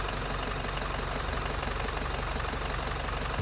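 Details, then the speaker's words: Toyota Innova Crysta 2.4 diesel, about 7,218 km, after Sundar Carbon Antidote Plus treatment: even quiet diesel clatter at steady idle, no misses or knocks; engine described as smooth with good combustion. "చిన్నగా engine చిన్నగా ఆడుతుందా smooth అయిపోయింది కదా ఆ smooth engine లో good combustion జరుగుతుంది"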